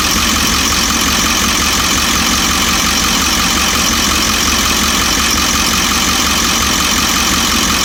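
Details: 1998½ Ford E350 7.3 diesel after warm-up idles with a steady rattly knock about three a second over bright clatter; owner unsure whether injector, cackle or worse; fuel tank recently dropped for low fuel pressure and delamination.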